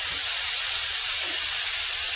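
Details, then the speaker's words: Eastwood Elite QST 30/60 scroll air compressor after replacing the failed pressure switch, shutting off at about 140 psi: a steady, loud airy hiss with no motor, as the unloader line normally vents pressure. "That air you hear it's got an air line that releases pressure out of here."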